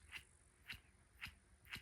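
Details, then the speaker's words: Hand-spun roller lifter from a 1200 hp naturally aspirated big-block Chevy in a 1967 Camaro gives a gritty rasp about twice a second; needle bearings flattened and rough, engine would soon have failed. "The needle bearings are flat. They're not round anymore, and they're not smooth."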